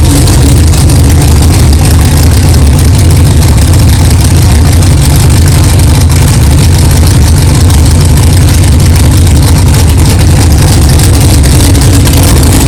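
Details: 1964 Chevelle 383 stroker V8 at first fire-up after an 8-month build, not yet warmed up, 11° timing, 63 lb oil pressure: loud, deep, even burble, steady beat, no clanging, ticking or stumbling; good oil pressure, healthy normal idle.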